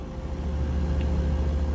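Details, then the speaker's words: Reach-in cooler no. 2 compressor, earlier drawing 34 A and tripping on overload, now started with a hard-start kit: deep, steady hum at 6.6 A; compressor runs normally, but the unit struggles to cool, indicating a refrigeration problem. "And we're getting 6.6 amps here. So compressor is running at this point in time, which is good news."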